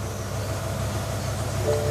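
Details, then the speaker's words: BMW E60 M5 V10 cold start sounding horrible, lumpy uneven idle with occasional stumble from a misfire; same other fault codes still present, read via OBD2 reader. "misfire is definitely there we've still got all the same other errors"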